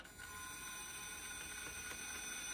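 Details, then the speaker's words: G-Speed GShot FS RC crawler, newly built, electric motor running: thin steady whine with faint irregular knocks from the drivetrain; owner says it sounds like a rod knock, cause unconfirmed. "if y'all can kind of Hear That Sound sounds like a rod knock but hopefully I can get it fixed"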